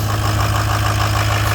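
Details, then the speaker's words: Ford 6.0 Powerstroke diesel after replacing the faulty aftermarket standpipe, torqued to 60; started after a long crank; steady even idle drone, no stumbling or misses; normal idle after repair. "Alright, so she's running. She's alive again. That's what it was."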